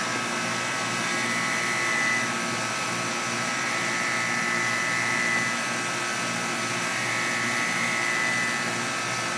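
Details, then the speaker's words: Guardian air conditioning unit at startup after sitting unused for a while: steady high, thin buzz with a faint tone on top, swelling slightly every few seconds, happening every time; cause unknown. "it makes this noise every time. It hasn't ran for a while, so let's see everyone turn it off."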